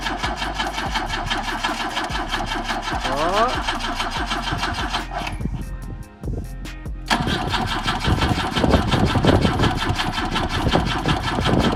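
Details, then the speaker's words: BMW with M10 engine, first start attempt after 1.5 years not running, fluids and fuel in tank, relay clicking: starter cranks about three turns a second, pauses, keeps cranking without firing; they suspect insufficient fuel. "Close. Maybe you need more fuel. It's gonna pump it. We just gotta keep going, I think."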